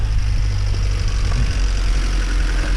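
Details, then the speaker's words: Healthy-sounding idle of a 200,000-mile Honda Civic 1.6 VTEC (D16, MB4) just after first-turn start; steady even low rumble, no knocks, ticks or misses, a bit ticky and tappy on cold start that settles after about 30 seconds, no smoke. "sounds healthy. It really, really does sound healthy. You'd think that this car's done a quarter of the mileage that it has."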